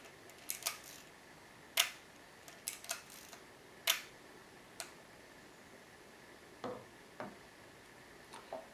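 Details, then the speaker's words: Leica M3 (c. 1963) shutter release in a quiet room: soft, short, clean, discreet single clicks, no drag or bounce; quietest of the compared cameras; normal shutter release. "euh le l a bien un bruit discret et et relativement court net euh assez futré pas trop fort la différence est pas énorme euh entre ces différents appareils"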